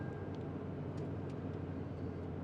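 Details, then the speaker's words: Toyota Sequoia idling normally after being jump-started with a lithium jump starter using its boost button; a low, smooth, steady hum with no stumble or misfire, and the battery meter shows a healthy voltage. "keeps running like normal you can see my battery meter showing a pretty healthy voltage there"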